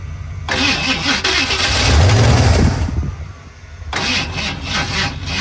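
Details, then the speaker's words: 1978 Ford F-150 plow truck, carburetted and rebuilt, after sitting about a year with bad fuel: starter churns in long bursts, the engine nearly catches then falls back, and it never starts. "it almost came to life right there I let off the key cuz I thought it was going to going to do it again this thing will run"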